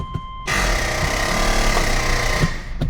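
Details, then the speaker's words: 2006 Subaru Legacy 2.5 automatic, AWD but front wheels not turning in drive: harsh two-second grinding burst when shifting to park; front axle not fully seated in the differential. "you get that grinding sound and that is not good."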